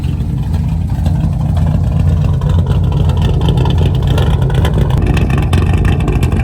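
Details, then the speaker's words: 1985 square body Chevy with swapped small-block 350, after a new ignition module: deep V8 rumble rising and settling through revs with no pops; the backfiring seems gone; distributor makes a lifter-like tick. "that problem has seemed to disappear so I think that's what it was then"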